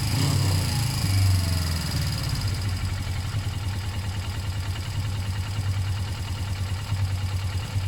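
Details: Suzuki GS500 twin, after service and throttle cable slack adjustment to stop revs rising on steering: after a brief start-up rev it settles into a low, even idle that no longer creeps up when the bars are turned; normal idle.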